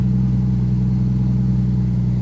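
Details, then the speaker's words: 1992 Jeep Cherokee XJ started cold after sitting about three weeks: steady, even engine drone idling high at about 1,500 rpm with no hunting, idle coming down as it warms; possible misfire also noted. "she was only pretty high yeah 1,500 I don't know if it just normally does Matt when it's cold has been stirred in like three weeks yeah"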